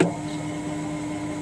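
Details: Top-loading Hitachi washing machine after gear/spring fix for spin-dry gear-engagement noise: motor starts with soft steady hum and gears engage without clash — normal clutch engagement.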